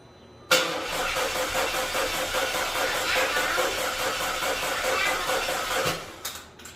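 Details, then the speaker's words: Audi A4 2.0 turbo on first start after major repairs, fuel pump heard priming: starter spins the engine steadily for about five seconds but it never fires; crank-no-start, fuel and spark to be checked. "So, further diagnose, we got no startup. There's a crank, but no start."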